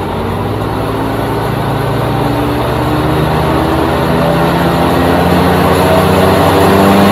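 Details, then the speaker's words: 2001 Grasshopper 721D2 mower, 22 years old, after replacing all deck spindles and blades: steady even whirr from blades, engine holding speed and swelling slightly, no knocking or grinding, smooth again; normal mower deck operation. "well it's smooth again and it sounds like a Boeing 747 so I'd say I fixed it"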